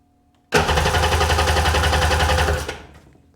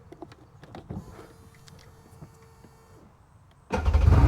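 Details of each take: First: Sea-Doo GTX DI 951 with rebuilt engine, plugs refitted: steady starter churning at roughly 3.5 turns a second that never catches. Crank, no start. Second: Sea-Doo GTX DI 951 with rebuilt engine, final crank on the trailer after sitting: quiet clicks and a brief whir, then it fires at once into a strong, even run. Normal start.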